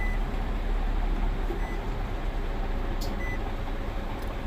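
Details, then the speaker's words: 2016 Nissan Altima, four-cylinder, after repair of ECM wiring (pin 109 fault) that caused key light on, no crank, no start: even low engine hum, steady rhythm, faint beeps; normal idle. "गाड़ी बिल्कुल सही है।"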